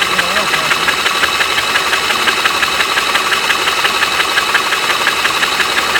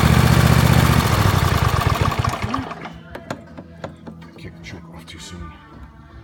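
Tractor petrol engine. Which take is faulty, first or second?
second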